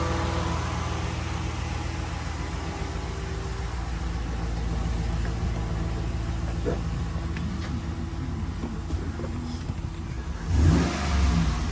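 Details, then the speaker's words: 2013 Ram 1500 at 75,000 miles, idling with hood up right after a Volant Powercore cold-air intake install; deep, even engine rumble and steady drone, no knocks or hiss, sounding about normal and adding little interior noise. "Sounds about normal, so doesn't really add much interior sound to the truck if you're worried about that."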